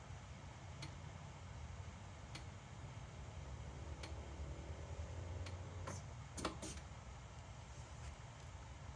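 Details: BMW E60 M5/E63 M6 SMG hydraulic pump during INPA bleeding after topping off with CHF-11S fluid (about 20 minutes): quiet low hum with sparse irregular light ticks every second or two; normal operation.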